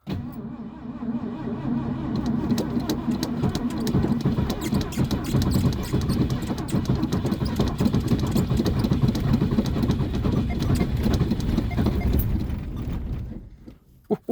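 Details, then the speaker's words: Classic Ford cold start at -30 degrees, carbureted: long, slow, laboring crank with a few ragged firings that never catch; hard cold start, cranks but won't catch. "Ooh, she almost started. Okay, let the starter calm down for a second. It sounds like she is gonna start, but she's not happy about it."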